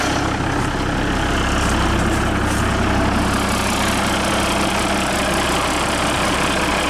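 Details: International truck with DT466 diesel, just started: loud even diesel clatter holding steady idle, no misses or knocks; excellent running engine, owner considering moving it to another truck.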